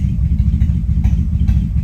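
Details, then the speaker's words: Random misfire at idle on a V8, idling low around 500 rpm: a lumpy rumble with an occasional extra putt. Misfire moves randomly across cylinders, later coding cylinder 8; a bad injector is suspected but unconfirmed. "you can hear that additional putt is there just bad do we do we have a bad injector but it's random completely random across the cylinders that's what doesn't make sense"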